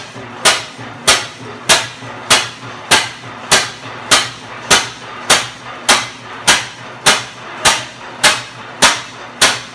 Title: 12hp 1913 Fairbanks Morse NB First start after 42 years of being acquired and in parts since 1976